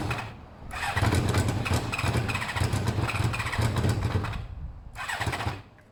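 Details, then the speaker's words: Motorcycle with pod air filters: lumpy, uneven, labouring running that never settles, the engine choking for air through restricted pods that the intake sucks forward. "It was struggling. You could see it was struggling because the whole pod was moving forward,"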